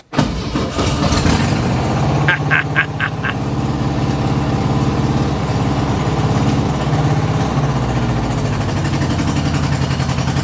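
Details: Carbureted car from the owner's collection, started cold with choke and pedal pumps: fires up into an uneven, lumpy idle with irregular stumbles like an occasional miss; owner suspects some spark plugs not yet replaced; rough idle.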